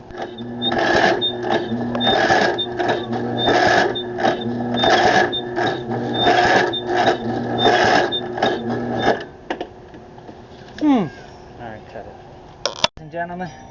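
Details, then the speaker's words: 2008 Craftsman YS4500 lawn tractor that wouldn't start: starter turns over slowly in heavy strained pulses about nine seconds, never fires; excessive compression suspected. "we tried to start it up, but you notice it wasn't turning right. I think it's got way too much compression."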